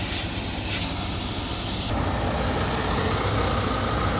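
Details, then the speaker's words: Fully loaded truck with low air pressure: steady loud hiss of escaping air without rhythm; air leak from a failed brake chamber, later replaced with no leaks. "Yeah, I could hear that air leak. So here's the problem. Brake chamber's out."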